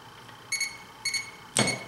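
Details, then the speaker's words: BMW N20 intake/exhaust VANOS solenoid actuator removed and bench-tested with a KZEE power probe. Sharp, clean clicks sound as the plunger pushes out and retracts on each energizing. Normal solenoid actuation. "and that's all this solenoid actuator is doing is just electronically pushing out on this little pencil right here to press on another piece which is the vanos"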